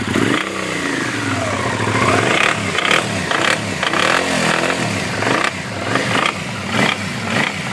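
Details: 2009 Suzuki SV650 Sport V-twin revving up and down: normal at idle, sharp metal-on-metal clatter bursts as revs climb; cam chain tensioner checked fine, oil was found very low.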